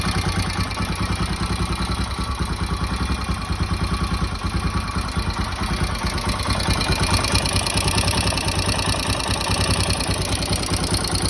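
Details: Royal Enfield Himalayan after installing an HT Himalayan Tools aftermarket cam: quick, even ticking over the single's idle thump. The top end is noisier; cause unconfirmed.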